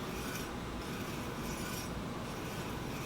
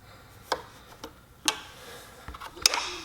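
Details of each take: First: Heybike e-bike front disc brake after truing the caliper to the rotor, wheel spinning free: a soft, steady rasping hiss as the pad still lightly rubs, before backing off the adjustment. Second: Heybike Ranger/Mars e-bike front disc brake after backing the pad adjuster out in eighth-turn steps to cure squeak and rub: light, uneven freewheel ticking as the wheel coasts, no scraping; normal wheel spin, no brake rub.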